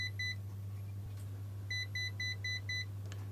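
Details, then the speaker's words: ET-8550 mainboard with 031006 error, in-circuit ESR capacitor tester: repeated high clear beeps meaning the capacitor's ESR is high. "Okay. So this one, you can hear multiple beeps. That means the ESR is high."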